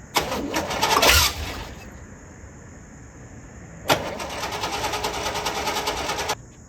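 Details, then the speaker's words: 1966 Corvette with a high-compression 383 stroker, spark and fuel to the carburetor verified: two long bursts of quick starter cranking, each stopping without the engine catching; hard starting, finicky to fire because of the high compression. "it has such high compression, it's a bit finicky trying to get it started."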